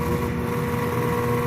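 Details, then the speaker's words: Whirlpool top-load washer drive motor bench-tested, plugged into power but not hooked up, on a washer whose drum was jammed: a steady, even mid-pitched hum with no knocks or rubbing, so the motor is fine. "all right I see the water working fine it is testable she's working fine"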